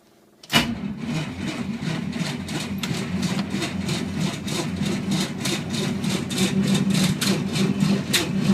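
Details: Willys with a 6-volt system at -8°F, full choke, throttle slightly open: a slow, steady starter chug of about three beats a second that picks up slightly but never catches; cold cranking with no start, and it was eventually flooded.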